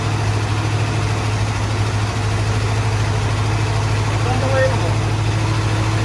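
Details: 1972 Ford F-100 XLT Ranger V8, sat 15 years, started with coil bypassed and jump box: low, steady rumble settling into an even idle, beat about 200 per minute; engine caught and keeps running.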